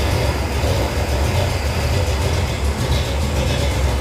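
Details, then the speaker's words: Cold first start of a 451 big-block Mopar in a 1978 Dodge D200 with a new Edelbrock VRS 850 carburetor at untouched out-of-box settings. Deep, steady rumble at idle, which is a little slow, with no misses. Float levels look slightly high. "Fire in a hole. Idle's a little slow, but it's idling. And it's cold."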